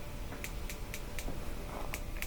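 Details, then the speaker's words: Gas grill with AA-battery spark igniter, dial at light position: sharp crisp clicks about four per second, the igniter working normally and sparking. "and you should be able to press it when you hear it press it here some clicking"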